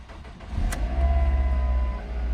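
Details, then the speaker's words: 2005 Ford Focus, over 100k miles, after replacing the right-side engine mount that caused dashboard shaking and vibration: starts and settles into a low, smooth, even idle with no rattle or shaking. Barely any vibration noise now. "Wow, that is much better. That is much better. I can barely hear any vibration noise."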